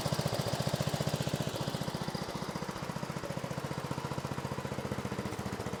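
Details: 1970s Massey Ferguson MF-12 garden tractor, Tecumseh 12 hp single-cylinder, just running after the cracked head was replaced: thumping about four beats a second, rhythm wandering, unsettled idle; owner suspects the carb, not confirmed.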